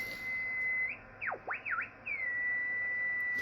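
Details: Yaesu FT-101 receiver with swapped front-end board: steady loud high whistle near two kilohertz on received audio, swooping as tuning moves; internally generated birdie, not the marker, repeatable on most bands except 15.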